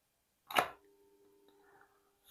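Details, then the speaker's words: Water pump motor on 220 V: plug-in click, then faint steady hum, never spins up, water won't rise; must be hand-started, cause unconfirmed. "Oke, untuk mesin air di sini terdengar dengung. Jadi untuk permasalahannya di sini mesin airnya dengung, namun suaranya kecil, nggak seperti video kemarin yang saya bahas, suara dengungnya agak besar."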